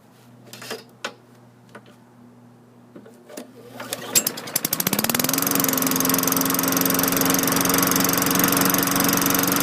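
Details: 2003 Craftsman 22" mulcher mower with a Tecumseh 4.5HP engine, fitted with a replacement LEV 100-115 carburetor, starting on the second attempt. A few pulls, then it catches and runs smooth and steady.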